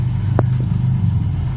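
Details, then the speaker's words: Engine idling just after a new fuel pump was installed and primed, heard from the rear. A smooth, steady low rumble with no whine over it. The new pump runs quietly, unlike the old one, which whined loudly and worsened as the car warmed up. "all looks good I don't know if you can hear it down here because of the motor running pretty quiet"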